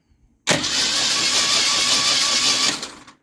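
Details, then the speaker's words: Ford Mustang V8 cranking after rocker adjustment during compression test: smooth, even cranking with no clacking; earlier knock likely pushrods popping back into rocker cups when rockers were too loose. "no clacking sound I think I just figured it out"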